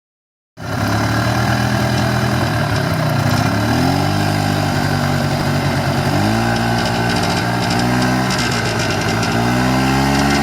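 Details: 1994 Polaris Xplorer 300 4x4 after a top-end rebuild: single-cylinder revs rising and falling with a raspy buzz at certain rpm and on deceleration, with or without the primary clutch, driving or stationary; nothing obvious rubbing, source unknown.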